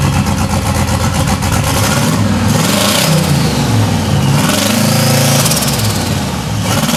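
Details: 1992 Chevrolet Silverado, 5-speed, with a turbocharged 5.3 LS swap: loud, lumpy running with an uneven stumble as it revs; at least one cylinder suspected misfiring, tach showing only about 3800 rpm. Not confirmed.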